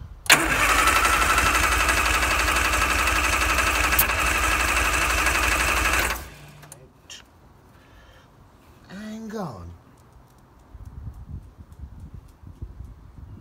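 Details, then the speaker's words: Banham Superbug kit car, first start attempt on fresh battery: six seconds of steady even cranking, about three turns a second, no catch; plug leads set 1-2-3-4 instead of firing order 1-3-4-2. "Spotted, bro. What's firing order on a car? 1, 3, 4, 2."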